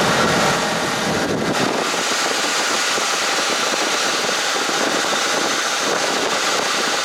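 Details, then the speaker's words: 1976 GMC Motorhome idling after belt tensioner installation, air pump running, AC compressor kicking in; steady even engine and fan rush with no chirp or squeal, belts fine. "Alright, no noise. Let's turn the AC on. Now you heard the compressor kick in."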